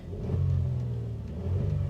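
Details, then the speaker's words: High-mileage vehicle at auction, sat for a while, VSC, check engine and brake lights on: engine revs up and settles smoothly with an even, steady note, no knocks or rattles; normal engine rev. "it sounds good"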